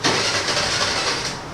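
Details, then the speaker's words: TVS Jupiter BS6 2020 scooter, unused for three days, now has a new battery but the engine check light is on. It catches with a short burst, then dies within a second, and also stalls when throttle is applied. Finding: engine starts but won't hold idle. "ఇది start అవుతుంది ఆగిపోయింది. Just start అవుతుంది ఆగిపోతుంది"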